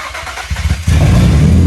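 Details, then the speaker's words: Nissan 350Z after a complete engine rebuild using junk Nissan Murano parts, before transmission install: short cranking bursts, then catches into a strong, even, deep run with no tapping or knocking; former knock gone. "And there it is, the engine's roaring. It's back together and it doesn't knock at all. It sounds really good actually."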